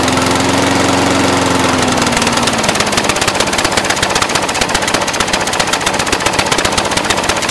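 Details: Brand-new Briggs & Stratton 450 lawn mower, under 2 hours' use: loud, stumbling, irregular firing instead of a steady idle. Black smoke, sooty plug, throttle has no effect; smoother when tipped back. Rough idle, cause unknown.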